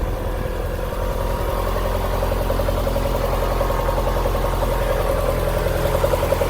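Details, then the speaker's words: Honda B20 VTEC, first start after new head gasket, stock GSR tune, check engine light off: steady idle with faint fast ticking about three or four a second, possibly valvetrain; owner unsure, hopes it goes away over time. "sure what this noise I hear is. We'll see if it goes away over time."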